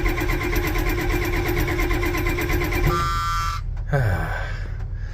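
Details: Ford 7.3 IDI diesel cranked without working glow plugs (relay stopped working) and without starting fluid: rhythmic starter cranking about three pulses a second for several seconds, never fires; cranks but won't start.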